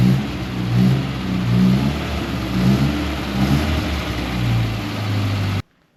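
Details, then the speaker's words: 1961 Mk1 MG Midget roadster, 63 years old and sat 54 years, running on its intake: smooth, even running with gentle rev rises and clean return to idle before shutdown; sounds healthy. "I got to say, I didn't give that intake very much credit, but it runs really good on it."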